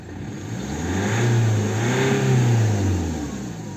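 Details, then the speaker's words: 2010 BMW 118d with N47 2.0 diesel, DPF and exhaust back-pressure sensor codes from a loose hose, faults cleared: started and revved smoothly twice with no stumble or knock, no fault light; clogged DPF still awaiting cleaning. "Arrancamos el vehículo y vemos que el fallo de motor no lo tenemos."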